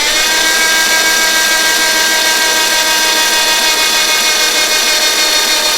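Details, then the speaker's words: Carter998 engine on dyno, cranking to prime oil pump packed with assembly lube: thin high starter whine at sluggish uneven pace about three turns a second; battery going flat, slow cranking. "Right, well, we'll flatten the battery. That wasn't very good, was it? Should have put it on charge earlier."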